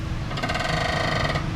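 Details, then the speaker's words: Honda City: a loud, raspy creak from under the front end whenever the steering wheel is turned and the front wheels swing left or right, traced to a worn stabilizer (sway bar) link. "Yan guys, napaka napakalakas ng ingay niya pag kinakabig natin yung manobela or agag pumapaling yung dalawang gulong niya sa kaliwa o sa kanan."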